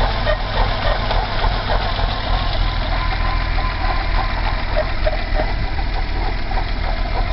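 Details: BMW 320i E30 M20B20 engine, cold, noise began after about 100 m of driving: uneven, lumpy idle with a faint squeak over the low drone; rough running, cause not yet pinned down.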